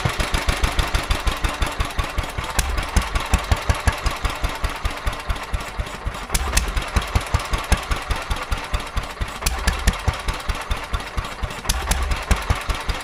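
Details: Petter A11 (A1 series 2) single-cylinder vintage stationary engine, owned 12-13 years, sat damp in a container for four years; slow thump, beats bunching and fading, hunting; rough running, owner suspects fuel starvation from dirt in the carburettor.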